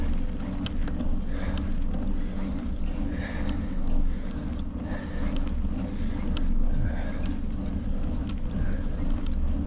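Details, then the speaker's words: Loaded touring bicycle on a cold ride: faint regular clinks about once a second under wind rumble, brake rubbing from an out-of-true wheel that needs truing. "Clink, clink, clink. Told you it needed to be trued. I got the brake rubbing."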